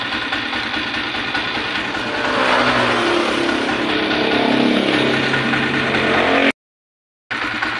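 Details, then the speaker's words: Single-cylinder motorcycle engine running with a light metallic clatter from the head; timing gear, cam follower and pushrods recently replaced but rocker arm not; worn rocker arm has large play, valve clearance keeps changing and ticking returns soon after adjustment. "Ito po malaki na po yung play ngaran yan Kaya minsan Kap lang malagitik na at nagiiba yung adjustment niya mga ka- motorworks"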